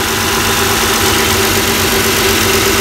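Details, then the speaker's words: 2002–2006 Toyota Camry 3.0 L V6 idling, before removing and cleaning the PCV valve: steady, even idle with smooth hum and no knocks, misses or hiss, the PCV valve audibly clicking. Normal idle. "so squid start this engine and let it idle a different field back you can actually even hear the valve chicken okay so so far so good"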